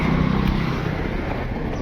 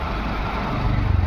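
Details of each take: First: VW Vento petrol engine with P0300 and P0201: uneven idle with periodic stumble, still misfiring after codes cleared. Coils and plugs check OK; fault traced to cylinder 1 injector getting no current. Cylinder 1 misfire. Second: VW Vento petrol engine after the shorted ECM, which could not drive cylinder 1 injector, was replaced with a second-hand unit: steady, even idle with no stumble or shake. Running as original; misfire resolved; normal idle.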